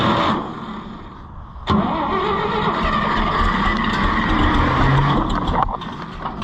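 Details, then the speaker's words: IH Farmall 560 tractor that stopped running right, then the owner changed the timing and it won't run; it cranks steadily at about four strokes a second with uneven, half-hearted firing that never catches, and is thought to be flooded; cranks, no start. "It's flooded is what it is, I think."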